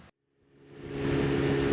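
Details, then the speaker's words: Honda Accord CB9 with H22 being diagnosed for overheating, driver-side radiator cooling fan jumped directly to the battery through a jumper harness: steady whooshing hum with an even tone, so the fan works normally. "all right guys I don't know if you can see that but you can definitely hear that that cooling fan is functioning properly so the driver side cooling fan is functioning"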